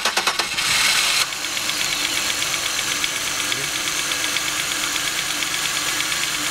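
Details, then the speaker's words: 2002 Chevy Venture 3.4, after a no-start/no-injector-pulse fix with a new camshaft sensor connected: starter cranks a few times, engine catches and settles into a steady, even idle with a light regular tick; normal idle. "here as you can see is running I have the sensil right here the new one connected okay"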